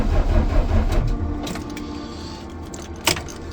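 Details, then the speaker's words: DAF LF45 bus diesel cranking at about -6°C: slow, labouring starter churn around two and a half turns a second that never fires; cold-weather no-start, struggling in minus temperatures. "This is even worse. Doesn't want to go in minus temperatures. Really struggling."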